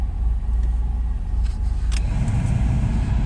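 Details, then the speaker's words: Chevrolet Camaro cabin blower fan runs with a steady, smooth low rumble and no rattling after debris and trash were cleaned out of the previously loud blower motor. "oh yeah yeah that did it just a bunch of debris and trash in there"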